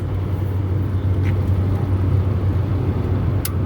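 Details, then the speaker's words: Walk-in cooler refrigeration rack restarted after about an hour off, condenser fans running, ice machines off, wet condenser. Under light load: a steady, deep, even hum with a constant fan rush and no knocks or rattles. Normal. "now everything should be under a load not a heavy load but everything should be under load"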